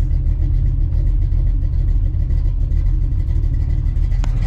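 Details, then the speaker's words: Small-block Ford 306 with GT40P heads, Anderson N41 cam and a Holley double pumper, idle mixture screws turned out about half a turn: a deep, lumpy idle that holds an even beat, with AFR steady around 11.5. "you can hear the idle come down too so now you can see it's consistently staying in the 11's"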